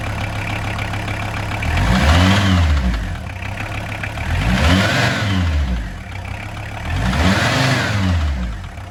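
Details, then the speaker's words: VW T4 van, early AAB 2.4 diesel, idling after swapping the too-long 13x1125 alternator belt for a 13x1100 and retensioning the manual tensioner: low steady rumble, no belt squeal; alternator charging, no battery light. "And that's it, job done. No more screeching from the belt. The alternator's still charging nicely, there's no battery light on, and the belt's not wobbling around while the van's running."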